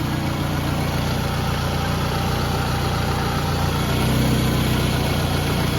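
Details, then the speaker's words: Scion tC after CV axle and all-engine-mount replacement: steady, even idle with a smooth low hum and no belt squeal, knocks or leaks; normal idle. "No leaks over here. Surprisingly, there's no belt squeal."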